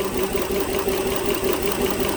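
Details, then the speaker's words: 2010 Dodge Journey 3.5 V6, MIL on, P0206: at idle, scope on injector current shows cylinder 6 waveform missing as misfire begins (wasn't missing when driven in); uneven idle with recurring stumble, one cylinder dead, traced to open-circuit number 6 injector. "oh yeah we're missing one right there i'll double check the firing order it's actually started to miss now"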